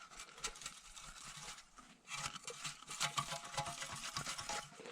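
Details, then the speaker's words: Porsche 996 catalytic converter, replaced after a P0420 code: shaking the removed pipe gives loose, irregular clattering and tinkling as the broken catalyst core rattles inside the shell, having banged against the O2 sensor. "So definitely had a problem with this cat. And let's see if I can make it so you can hear it. Hopefully you can hear it rattling."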